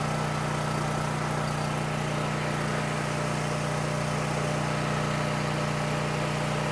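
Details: Coleman Powermate 6560 generator, after the fix for running only on choke (carburetor gaskets had been in the wrong order; oil was overfull and smelled of gas), with a 1000 W heater connected but switched off while the bolt is adjusted toward 60 Hz at 120 V: steady drone holding one pitch, no hunting, misses or knocks; normal running.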